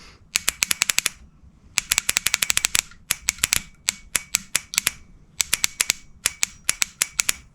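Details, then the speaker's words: Honda CB450/CB350F project starter solenoid bench-tested on battery on a freezing January day: rapid trains of sharp metallic clicks, about ten a second, as the plunger pulls in. It works, but the dirty contacts aren't making. "But it does work. So, let's clean this up and see if we can get this to make a contact."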